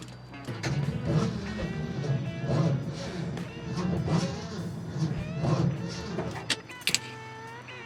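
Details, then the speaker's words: 1972 Ford F250 4x4 Highboy that had sat over 15 years: heavy, dragging turnover in slow, uneven lurches about a second apart despite a battery believed good; starter suspected weak. "It does not sound very good. And that battery, I think, is a good battery."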